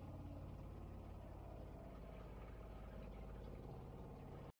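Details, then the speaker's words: Seaflo 33 series water pump replacing a Shurflo: runs much quieter with a low, soft, even rumble, lower frequency than the Shurflo's high-pitched scream, no whine or rattle, steady until it cuts off; normal pump operation. "This thing is much quieter, and it seems like the sound is actually much lower frequency than the other one. The other one sounded like a high-pitched screaming banshee. Where this one's kind of a low rumble."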